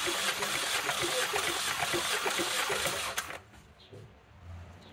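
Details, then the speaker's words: 2014 Chevrolet Cruze 1.4L turbo, spark plugs out for a compression test after fluid was seen in a cylinder: about three seconds of even cranking at roughly three beats per second, steady rhythm; cylinder reads about the same as the others, near spec. "you know right about the same then a spec there"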